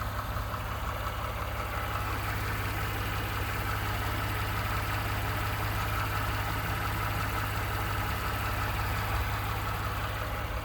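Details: 29K-mile 2018 Ford F-150, 2nd-gen 3.5 EcoBoost V6, at idle: a fast, even ticking knock about three times a second over the engine note. The owner cranks longer to prevent cam phaser startup rattle. Engine knocking at idle, source unclear.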